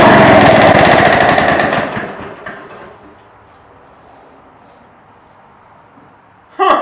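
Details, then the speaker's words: About 1946 two-stroke rototiller, out of gear, pull-started after years stored in a barn: rapid popping for a couple of seconds, then it sputters and dies from fuel starvation. Fuel was low; once fuelled it ran. "fuel down here there's your problem never fuel no run"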